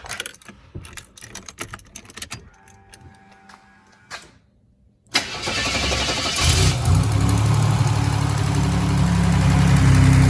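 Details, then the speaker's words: Buick WE4 that stalled at a light and wouldn't restart, after reassembly of a previously repaired cam sensor: starter cranks briefly, engine catches within seconds and settles to a steady even idle with no misses or knocks; the cam sensor was the cause. "Look at that. Look at that. She's alive."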